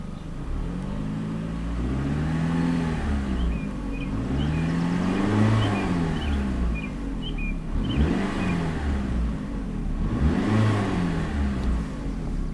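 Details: 2006 Chrysler PT Cruiser engine being revved: picks up cleanly through several blips and settles back each time, smooth and even with no knock or miss.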